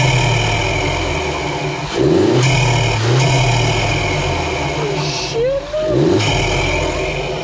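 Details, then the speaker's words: Seat Leon FR 1.4 TSI with newly installed MST Performance air intake kit: steady idle then two revs with loud intake rush, revs rising and falling cleanly; normal revving with intake induction noise. "Holy shit. Jacob, That is loud. that's grand. Savage."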